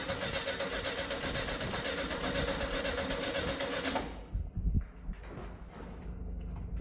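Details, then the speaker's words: 1971 VW Beetle, air-cooled, sat for years, first start attempt during restoration: rapid steady cranking that stops abruptly without catching, nearly starting. Cranks but won't start; fuel delivery to carburettor being checked. "annoyingly it did nearly start so what I'm doing here is I'm doing something diagnostic"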